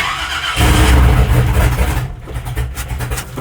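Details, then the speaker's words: Truck project's first fire after belt, coolant hose, fuel plumbing and transmission line work, foot on throttle, possibly flooded: cold engine catches and settles into a loud, uneven, deep rumble typical of a freshly fired cold carbureted V8. "Oh, she's a cold-blooded beast. Oh my god, it's so loud. I love it so much."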